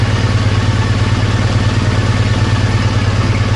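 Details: Triumph Bonneville twin idling after a faulty O2 sensor was fixed, with the injectors cleaned and new fuel-line O-rings fitted. A steady, even idle with a regular low pulse around three beats a second and no misses or knocks; normal idle.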